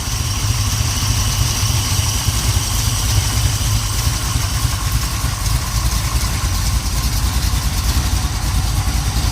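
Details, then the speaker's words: 1970 Pontiac Trans Am 469ci stroker, Lunati hydraulic roller cam 231/239 on 110 LSA, Performer RPM dual-plane intake, 850 Holley: lumpy idle about 700–750 rpm, could be raised, slight exhaust crackle, no lifter tick; healthy. "Idling probably about around 700, maybe 750. It could use to be bumped up a little bit, but I wanted to hear the camshaft."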